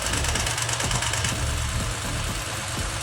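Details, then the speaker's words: Toyota Land Cruiser 4.6 V8 at idle: loose, uneven rattle about three clatters a second, from a loose intake manifold flap; timing chain set already replaced elsewhere, noise stops when the manifold vacuum line is pulled; common past 200,000–300,000 km. "就证明呢是进气支管这个里边的切膜腔的翻板松动脱落在响，这个毛病呢也是4600跑到20-30万公里以上的特别容易出现的。"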